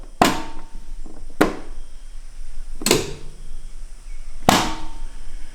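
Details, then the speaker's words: John Deere D170 riding mower, mower blade drive solenoid (2.9 ohms) after a wiring harness repair, key on and control pulled up: four crisp, clean single clicks about a second and a half apart; normal solenoid click. "key on pull up and listen for the solenoid key on pull up here it go"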